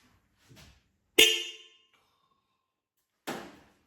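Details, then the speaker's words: 1972 Land Rover Series IIa ute, horns refitted on factory mount during electrical repairs: two loud, clear blasts with bright steady tone, no rasp or fading; horns working properly. "Big yes from me. Probably not so much the neighbors."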